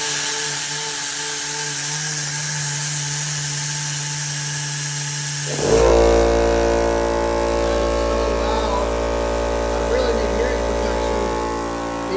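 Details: Husky air compressor running while air is released from the line: loud, steady motor drone with a constant hum and even pumping rhythm, no knocking; runs normally, just noisy.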